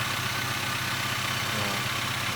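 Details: Toyota Avanza first start after engine overhaul, warming up: even, quiet idle settling from about 1500 to around 800 rpm with a smooth regular pulse and faint fan hiss; engine runs healthy.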